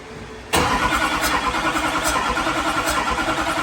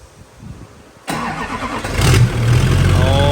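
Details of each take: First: LBZ Duramax diesel drag truck on its first start after the build and fuel-system priming. It fires and runs with a slightly uneven, lumpy beat and occasional stumble; air is still trapped in the fuel system. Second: LBZ Duramax diesel drag truck with S400 single turbo swap kit: turns over, catches sharply and settles into a deep, even idle with no misses or knocks; healthy start, wiring harness damaged.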